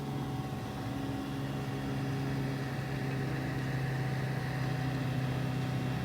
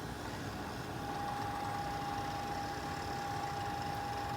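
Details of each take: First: Fluke 199C ScopeMeter cooling fan after replacement/servicing (previously made a rubbing, bumping, ticking noise), run on a quiet bench supply: soft steady airflow whir with a faint constant hum, no vibration, rattle or buzzing; fan sounds healthy. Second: Fluke 199C ScopeMeter cooling fan motor, removed and run on a 5 V bench supply, held against a surface that amplifies it: steady whine over a rough, non-smooth vibrating buzz; the hub is vibrating and shaking around from a dry bearing.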